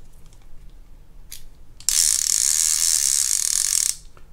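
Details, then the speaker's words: Shimano TLD reel unserviced for 20 years, clicker tested with the reel still assembled; rapid, even, crisp clicking for about two seconds as the spool spins, a normal healthy clicker. "sounds good but I will do one final check when I get inside there"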